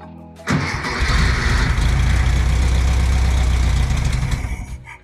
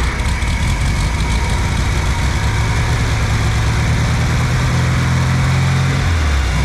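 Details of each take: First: 1964 VW Beetle air-cooled engine stored 8–10 years: catches at once, runs rough a few seconds, then sags and dies as starting fluid burns off; fuel starvation, no fuel getting through until the carburetor was cleaned. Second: 1964 VW Beetle air-cooled engine stored 8–10 years, after cleaning the carburetor: low steady engine note with no misses or knocks; runs really well, normal running.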